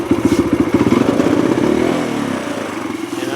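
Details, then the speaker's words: Kawasaki KLX140 four-stroke, warm, clutch pulled: throttle blip then revs drift down slowly; hanging idle worsening as it warms; owner suspects lean mixture or air leak, plans air/fuel screw adjustment. "so it starts up pretty well and as it warms up the hanging idle kind of gets worse so you can hear the engine when I let go of the throttle the RPM it kind of slowly settles back"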